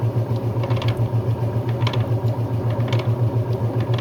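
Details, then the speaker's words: Brastemp Luxo Plus washer spinning: low steady drone pulsing three to four times a second with faint light rattles from a loose part; spin judged normal. "Eu acho que para mim tá normal. Tem um barulhinho aqui, mas é é o negócio que tá solto aqui."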